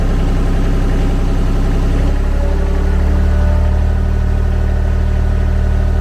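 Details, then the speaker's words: Kymron XTL30 mini skid steer, brand-new Kubota D1105 diesel at 8.1 hours, during an oil change service: steady, even low rumble at idle with a smooth firing beat and no high-pitched whine; normal, very smooth idle. "I don't know if you can hear, but the engine settled down, right? So it's got a very even sound. You don't have any high-pitched noise. There's nothing abnormal. The idle is normal, very smooth."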